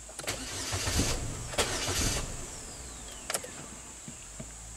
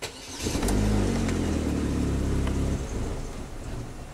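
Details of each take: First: 2010 Chevy HHR 2.2 Ecotec that starts then stalls, cranked during clear-flood after clearing codes: even, strong cranking about four pulses a second with no dragging or skipping; healthy crank, timing judged okay. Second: 2010 Chevy HHR 2.2L Ecotec with eight stored codes: engine catches, runs roughly about two seconds, then sags and dies; live data shows mass airflow peaking only about 0.5 g/s, pointing to a faulty MAF sensor.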